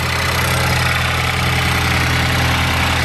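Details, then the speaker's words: Ford Focus ST (Mk3) with a newly built engine (pop-n-drop kit) replacing the stock one that blew up, first cold start warming up, resonated catless downpipe: loud, steady, fast-ticking idle with an even drone and no knocks; normal cold idle. "all right let's do this startup so right now letting it warm up so it's really cold cold start"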